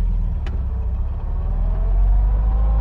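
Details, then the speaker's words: 1956 VW Oval Beetle, 36 horsepower, pulling away in first gear: faint whine rising in pitch over low engine drone, the common first-gear whine of the crash box transmission, normal; shift mark about 15 mph. "you hear the whine like you do right now in the transmission, very common, crash box tranny, they have a whine to them in first gear."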